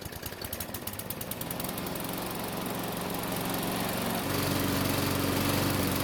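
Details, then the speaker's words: Mower with a new primer bulb, topped-up oil and fresh ethanol-free gasoline. The single-cylinder engine fires steadily and evenly into a smooth run with no misses or surging, running normally. "So it's been running for several minutes and the engine should be good and hot."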